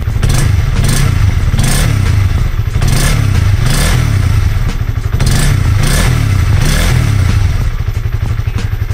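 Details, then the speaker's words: Honda CB150R single-cylinder after over five months on 100% cooking oil as engine oil; revs up and settles in even blips, smooth firing with no knock or rattle; owner says it sounds smooth, maybe smoother than before. Normal revving. "Suara mesinnya setelah lima bulan lebih menggunakan minyak goreng suaranya halus Mbah tetapan suaranya halus dan saya kira masih sehat-sehat saja Bah mesinnya"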